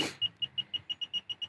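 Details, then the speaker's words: Automotive circuit tracer (6–42V DC tone generator and receiver probe) on a vehicle wire, receiver at high sensitivity setting 3: quick, even high-pitched beeps about seven a second with no dropouts as it lights up, confirming the traced wire carries the signal. "It's beeping and it's lighting up. So I know this is the wire that I'm using."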